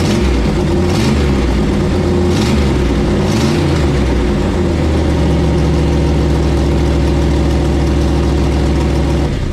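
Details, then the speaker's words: 1968 Dodge Charger R/T V8 after swapping the Edelbrock for a Holley carb with a bug catcher: a few throttle blips after start, then a strong, even idle with a steady beat and no misses. It runs clean; leaks were found afterward. "well it sounds good"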